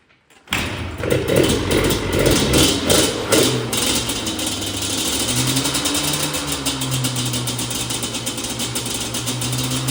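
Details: Yamaha Banshee won at a storage-unit auction: catches at once, a few sharp crackly blips, then a steady ringing idle; a healthy two-stroke.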